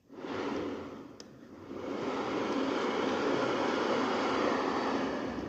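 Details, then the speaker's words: Transfer box turned slowly by hand is very hard to turn, with a rough continuous grinding rush; stiff, noisy transfer box, compared with an easy-turning, quieter replacement unit. "So, something I have noticed with this, like I said, that was really hard to turn. Like proper struggling to turn that like and it's really noisy."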